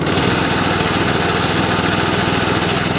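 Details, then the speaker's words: Kawasaki cylinder mower, started first pull on choke and throttle and warming up, cylinder and drive engaged: steady, busy clatter at constant speed with even firing and cylinder whirr; normal running. "And the drive. Lovely. Once it's warmed up, it starts first time every time. Idles absolutely beautifully."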